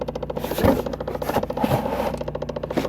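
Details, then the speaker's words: 2010 Chevrolet Impala with DTC B0223, key on: soft irregular ticking and scraping about once a second from behind the glove box, traced to the recirculation door actuator skipping teeth; fix is replacing the actuator. "it sounds like it's coming from behind the glove box there's another funky noise too"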